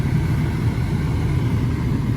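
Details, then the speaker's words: 2004 Jeep Wrangler TJ heater blower motor after replacing the failed blower motor and resistor and repairing 2 connector pins; smooth, even low whir on the second, third and high speeds with no ticking or scraping; normal blower motor operation. "can you all hear that I've got a blower motor now there's a second third in hi"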